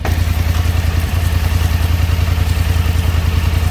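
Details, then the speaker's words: 2024 Polaris Sportsman 1000 V-twin after rerouting the plug wire: even, steady idle with regular firing pulses, no misfire even when sprayed with water; normal idle. "Good to go. No more misfire, no matter where I spray the water."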